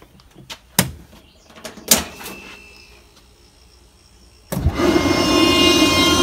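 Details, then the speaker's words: Rotary screw air compressor on synthetic oil, started for the day: a few clicks and knocks, then a loud rush and a high whine that settles in after a second or two; air flowing the right way, normal. "See the air blowing out the right way, and you hear the whine sort of settled in after a second or two there."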